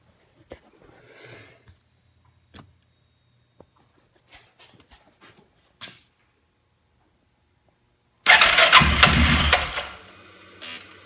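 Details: 2005 Suzuki King Quad 700 ATV with Copperhead VDI aftermarket ECU, starting problems since install: quiet clicking then two seconds of harsh cranking, no catch; crank no start. Owner blames ECU; maker blames charging system, battery dropping to 8V.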